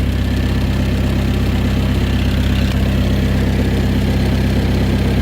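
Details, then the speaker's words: Mk1 Ford Escort with rebuilt YB engine, still cold and steaming, ignition timing just checked spot on with strobe, air filter refitted: steady, even idle with smooth low beat, no knocks, misses or hunting, quieter than expected through exhaust; normal idle. "that is sweet oh I'm so happy genuinely doesn't sound as loud as I thought it would either not even with my uh all R the exhaust"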